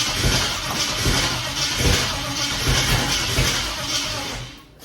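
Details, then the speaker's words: Holden VK Commodore 5.0 V8 starting after electrical faults were fixed; heavy, uneven starter grind with slow lumpy pulses that dies away after five seconds without catching; long crank, no start, owner suspects flooding. "I think what happened there was I think it flooded and didn't want to start so foot to the boards and bingo it lit up"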